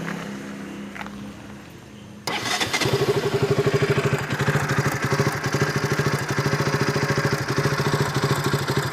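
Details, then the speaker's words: KTM RC 200 single-cylinder, recorded before repair: starts and idles unevenly with a tick-tick spark-arcing sound; it stalled at idle and when the clutch was pulled; the cause was a loose spark plug cap. "കാര്യം നമുക്കതിൽ നിന്ന് ഒരു സ്പാർക്ക് അടിക്കുന്ന ഒരു സൗണ്ട് കൂടെ, tick tick tick എന്നൊരു സൗണ്ട് വരുന്നതായിട്ട് ഫീൽ ചെയ്യുന്നുണ്ടായിരുന്നു."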